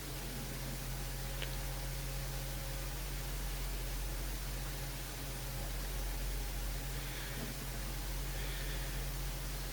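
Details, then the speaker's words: HP x360 laptop after repair: a hair had stopped the cooling fan spinning and caused a BIOS fan error at startup. Now a soft, steady, free whirring hum with no ticking or scraping; normal fan operation. "okay I can't even show the desktop on this thing because there's so much stuff on there that I really wouldn't advise putting on a laptop but you may be able to hear the fan is working"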